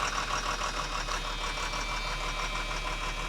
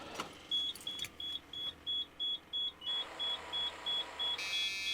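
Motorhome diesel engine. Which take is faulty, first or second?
first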